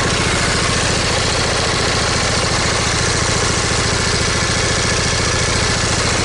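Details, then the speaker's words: Briggs & Stratton V-twin lawn tractor engine at idle: steady beat about three and a half pulses a second, slightly lumpy, one cylinder weak; owner suspects a miss, possibly ignition or valve cover gasket related, not confirmed; uneven idle. "now put the engine idle down you can hear that it's running on you can hear that you know these engines are actually fairly balanced from the factory so to have that slightness to them that you can pick up on"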